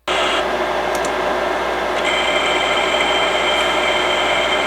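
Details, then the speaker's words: Imation LS-120 SuperDisk drive, bought used (eject button faulty), with an official 120 MB SuperDisk inserted: steady high whine with a couple of brief seek chirps, no rattle or catching; sounds okay, normal operation. "See how it sounds, because it's going to be a little different. So that sounds okay so far. It's not doing anything funny with the disk inserted."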